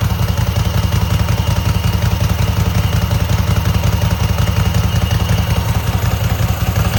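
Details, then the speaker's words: Cub Cadet garden tractor twin with new spark plugs and an uncleaned carburetor, choke frozen; has a gas leak. A steady, even low thump at idle with no misses or knocks: a smooth-running motor. "I've already had it running. This is a pretty smooth motor."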